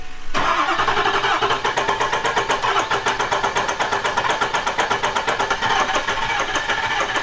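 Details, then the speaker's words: Ford 6.0 Powerstroke diesel in flip truck with air in the fuel and oil: steady fast starter cranking, about 2.5 beats a second, injectors clicking and smoke from exhaust but engine never catches; crank no-start. "it's got air in the fuel it's got air in the oil got it everywhere it's it's smoking out the exhaust though which means we got some fire you can hear the injector's clicking"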